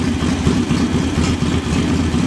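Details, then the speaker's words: Small engine with a JS flatside carburetor, freshly installed: after adjusting the idle mixture screw back to about a quarter turn, it idles steadily with an even, low putter and no stumbling or surging; idle speed screw left as set. "start to smooth out and leave it right there this is the idle speed screw now it's fine where it is so i'm going to leave it"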